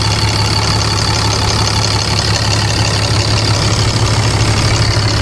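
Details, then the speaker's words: 2012 6.7L Cummins diesel idling after grid heater delete intake plenum and intake horn install, no fuel leaks: steady, even clatter with a firm low rumble, no misses or hunting; normal idle. "All right, you guys. Sounds pretty good. Sounds good."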